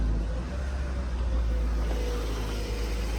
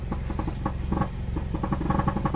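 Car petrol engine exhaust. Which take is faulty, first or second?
second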